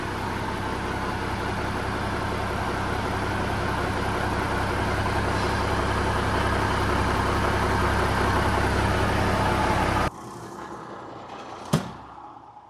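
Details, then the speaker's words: Peterbilt 359 diesel after renewal work idles steady, smooth and quiet; before the work, old belts squeaked and the fan hub was noisy. "So before when this thing was running, it had lots of little squeaky noises and everything else from like the old belts and the fan hub was noisy. Everything was noisy. But now, if you listen to it, she's just nice and quiet."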